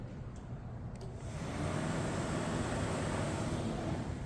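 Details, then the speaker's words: Lexus IS300 with a swapped 2JZ-GTE on a Fueltech FT550 ECU, ignition on, cooling fans triggered from the ECU output test to verify wiring: steady, even rushing whoosh with no rattle or scrape; normal. "if I hit that it turns the fans on so it allows me to check to uh to verify that everything I did with um with the installation is correct"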